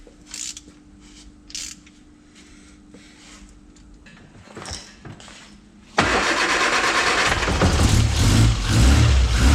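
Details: Frogeye Sprite after bare-metal rebuild, before ignition timing is set: quiet handling noises, then engine catches at once and settles into a steady, even idle with no stumbling; healthy start.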